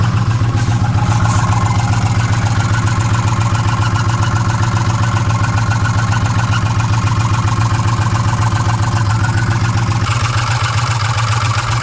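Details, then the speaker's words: 2006 Ford F150 5.4L V8 with code P0016, warranty inspection: steady rhythmic clatter about four beats a second at idle from the valve train up top, around cylinders 2 and 3 on bank 1. "In the valve train up top. And somewhere in this area, so 2 and 3. That's just, I mean, that's about where the noise is comi"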